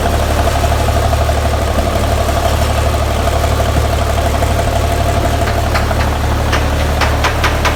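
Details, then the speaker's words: 1984 Peterbilt 359 with Cummins 855 CPL 838 high-compression diesel, just in-frame overhauled after scoring cylinders two and four; start-up idle even and steady with regular low clatter, no knock or miss: normal healthy diesel idle after rebuild. "Sounds fucking good, man."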